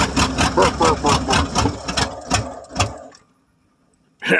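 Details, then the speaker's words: 1995 Ford F-150 5.8 L 351 V8, cold start, blows steam, suspected head gasket or cracked head, loading up on fuel: uneven lumpy idle with irregular chuffs about twice a second fading as engine dies; rough running and stalling. "looks like she's going to die well did run anyway"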